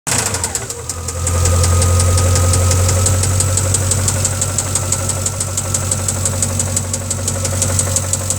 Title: Engine knock